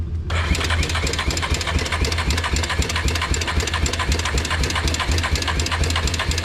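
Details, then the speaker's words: Yamaha Moto-4 Big Bear 350 four-wheeler, just got running after about 20 years sitting: single-cylinder chugs unevenly about four pulses a second, stumbling, then dies; owner suspects fouled spark plug, no spark found, cause unconfirmed. "I just got this running after 20 years and now it died trying to drive it home"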